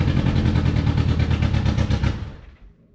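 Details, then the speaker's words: Old Honda Accord after new fuel tank, pump and tune-up following ethanol gunk: uneven stumbling chuffs about three a second, then fades and dies; loose spark plugs found afterward; rough running and stalling. "Well, it started. Well, it ran for a second like absolute crap, but it ran."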